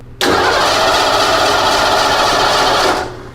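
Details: Ford with EEC IV ignition, about three seconds of steady starter cranking that stops without the engine ever firing; cranks but won't start because there's no spark.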